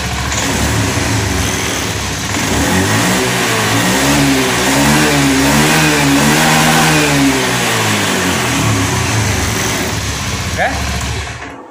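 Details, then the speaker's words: Honda Scoopy FI scooter after injector cleaning, previously bogging and dying on throttle after tank cleaning: throttle twisted from safe idle, revs rise and fall smoothly with no misfire or stumble; normal revving. "Sekarang kita ulangi. Oke, stasioner aman Pak ya. Perhatikan di bagian tuasnya Pak, kita pelintir."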